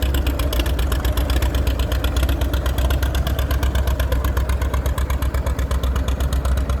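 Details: Old F-20 tractor with homemade loader, built about 1942 on steel wheels, idling: steady low-pitched idle about four beats a second with an uneven, stumbling pulse; still misfiring; engine misfire.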